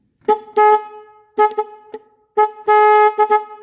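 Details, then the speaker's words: Car horn connector wiggled and pushed back in: horn blasts come in broken, uneven bursts cutting in and out; loose connector, and still not working when tight, so terminal also judged corroded. "so there's bad connection now the fact that um this could be loose is possible"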